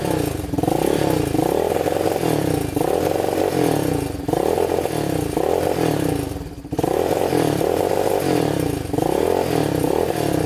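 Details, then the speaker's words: Yamaha Warrior 350 quad, year unknown: single-cylinder thumping rises on throttle then sags and stumbles repeatedly, never clearing to full revs; engine bogging at full throttle, as if it won't go full throttle. "Kind of bogs. Doesn't sound the greatest. You can hear it bogging at full throttle, like it doesn't want to go full throttle."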